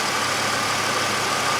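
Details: 2003 Chevrolet Impala after fixing a P0305 cylinder 5 misfire (flashing check-engine light, shaking) by replacing worn plug wires: even, steady idle with no stumble or skipped beats, firing cleanly on every cylinder; code cleared itself.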